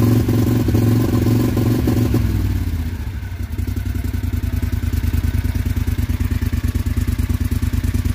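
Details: John Deere XUV 625i Gator with rough running and misfires, no flash code set. Engine lopes with an uneven, stumbling beat that stutters and breaks up at idle; faulty throttle body stepper motor.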